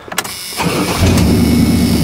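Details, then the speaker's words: 1986 GMC K5 Jimmy, rebuilt 700R4 transmission, about 95K on odometer: short crank, catches within half a second and settles into steady, even idle; starts right up with good oil pressure and temperature. "starts right up the good oil pressure good temperature"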